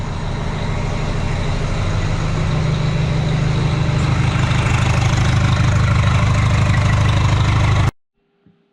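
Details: Rebuilt Detroit diesel after valve and injector adjustment, weak batteries, oil pressure pegged: deep, steady idle about three beats a second, even firing with no knock or miss until it shuts off; later found dirt ingested into the intake and charge cooler hoses.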